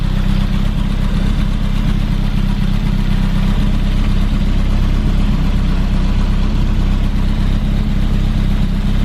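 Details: 1988 BMW E30 M3 cold-started after sitting six months: a loud, deep, steady exhaust drone at an even cold idle with no ticking or stumbling. Oil pressure came up quickly; healthy.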